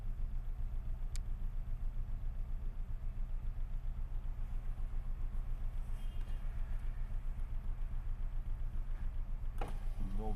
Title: Непонятный стук и вибрация на ХХ